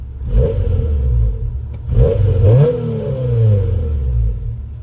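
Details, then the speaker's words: 1999 Honda Civic EX coupe, B-series: two clean throttle blips rise and fall smoothly with a mellow, quiet exhaust note and no rasp; healthy, though the owner notes a little belt noise. "yeah the exhaust on it is pretty quiet sounds good though I'm glad it's not loud"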